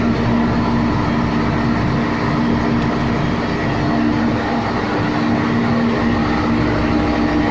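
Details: MAN 700 kVA diesel gensets with auto synchronising, running on a routine warm-up after an automatic start; loud steady diesel roar with a constant low hum and no knocks or surging, running evenly.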